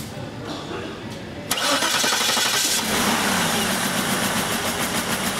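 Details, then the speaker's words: 2006 Cadillac DTS: brief crank, catches, then runs rough and lumpy with a loping severe misfire; 5V reference 2 circuit (TPS) shorted to ground, still runs because it has two separate 5V regulators. "So, we have a very bad misfire. Car the car does still run though is the point."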